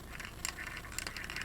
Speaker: motion sensor which is just a big metal can with a ball bearing that moves around inside it or something to that